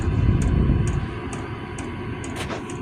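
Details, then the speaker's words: 12-volt diesel heater with 5-liter tank, run from a marine battery to heat a workshop; steady fan hum, faint constant burning tone and the fuel pump ticking about twice a second, a little noisy but running normally. "And you can hear it. You can hear it burning. It is a cool little heater."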